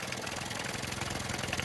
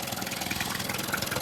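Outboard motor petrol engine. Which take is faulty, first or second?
first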